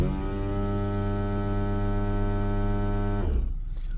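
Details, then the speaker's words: 2012 Ford Edge Limited with sinking brake pedal, after new rotors, pads and bleeding: ABS pump hums steadily about three seconds then cuts off during scan-tool ABS bleed procedure, pushing air out; pump running normally. "so I was releasing getting more air out of the system and it's going to go to that ABS noise again"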